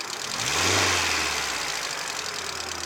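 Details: VAZ 2110 16-valve engine: quick blip then settling to idle with a faint tapping riding on the engine; engine knock present, cause not yet clear.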